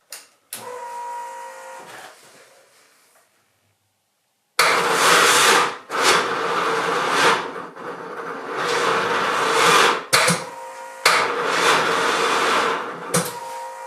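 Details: BMW R 1150 GS after wiring harness restoration and Hall effect sensor wiring repair: short weak starter bursts with pauses, never catching; suspected flat battery, smoke seen from underneath.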